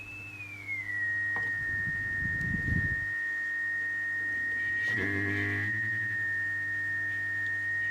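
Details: Mid-1930s tube radio from a former mouse nest with chewed paper capacitors, before restoration: a steady high whistle glides down in pitch, then holds over a low hum with distortion; oscillation, suspected bad capacitors.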